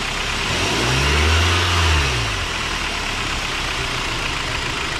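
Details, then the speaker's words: Car engine starting, revving briefly and settling to a steady idle after dielectric grease was applied to the serpentine belt: no squeak or squeal. Before the fix it squeaked for the first 30–60 seconds cold and at 2,000–3,000 rpm. "So as you can see, I started it up, did the same exact test that I did before I applied this product, and as you can see, there is no more squeak, no more squeal. It is completely silent."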